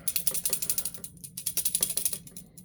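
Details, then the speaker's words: Fantom Thunder vacuum cleaner: quick dry ticking about ten clicks a second in bursts over a faint motor hum; something seems lodged inside, cause unconfirmed. "it's got the this weird clicking noise coming from somewhere sounds like there's something lodged in the"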